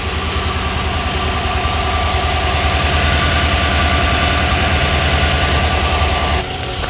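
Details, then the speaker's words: 2019 Chevy Silverado V8 (5.3L/6.2L), after replacing the old stretch belt for a noise on acceleration: steady, even idle, smooth low rumble with no squeal or chirp; noise gone. "Let's see your engine's running. Perfect. No more noise."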